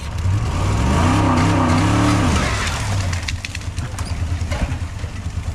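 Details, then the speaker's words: Old auction Ford engine under load: revs rise, then sag rough and bogged down. It revs well but has no guts in drive. A helper suspects the fuel map, or "a nasty hole"; the cause is unconfirmed. "Why is it struggling so bad? It's struggling."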